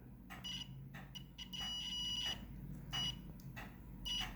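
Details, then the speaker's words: Multimeter continuity test on a Ryobi 18V stick vacuum with roller bar not spinning, probes from red wire nut: short high beeps confirm the red wire has continuity; the black wire later shows none and has a break. "so we have continuity"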